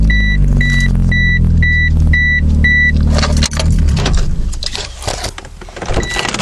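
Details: 1996 Mitsubishi Eclipse restarted: a fast, steady idle under a repeating door chime, then handling noise; idling well above normal speed, no real change from before.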